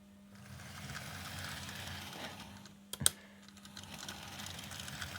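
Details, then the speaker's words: Bachmann 9F model locomotive running: steady motor hum under a constant fine dry rattle; suspected lack of bearings letting axles rattle in axle boxes, not confirmed. "sounds dreadful the hornby ones are entirely silent i assume it's because there's no bearings and so it the the axles are just rattling around in the axle boxes"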